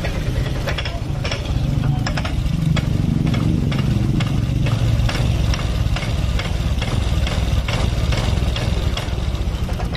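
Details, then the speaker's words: Honda Vario Techno 125 injection scooter, complaint of poor response, no steady idle, stalling; uneven stumbling idle with irregular pops that dies, idle screw adjustment ineffective; rough running and stalling from weak fuel pump pressure. "Kita perbaiki di motor ini suka mati-matian. Tuh. Tidak respon, nahan, loyo, telat, mati. Biasanya mati nih."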